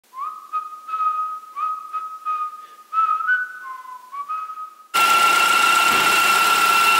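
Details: BMW F10 528 gives a high, flute-like whistle over the idling engine from the moment it starts, caused by excessive crankcase vacuum through a failed diaphragm in the cover assembly, which needs replacing.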